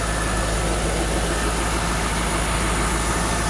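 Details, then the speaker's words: 2003 Corvette C5 after water pump and new belt, warming up toward operating temperature: steady, even idle with a smooth low hum and no belt chirp or squeak; previous chirp gone. "car's warming up but you can see it's there belt still not squeaking"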